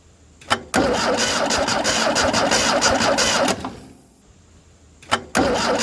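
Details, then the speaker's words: Ford Taunus 60-degree V4 in a 1970s Layton roller compactor, oil bath air cleaner refitted, spins in quick, even beats for about three seconds but never fires; no spark. "all right well you see that now I have no spark which is so stupid this thing never had that issue"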